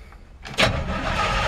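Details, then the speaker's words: 1954 Ford F-100 V8, cold start: brief crank then fires at once into steady even cold idle with good oil pressure; owner thinks timing may need adjusting as it sometimes hesitates when cranking. "And she's still cold too. Good oil pressure. It's still cold, so take a second to crank up."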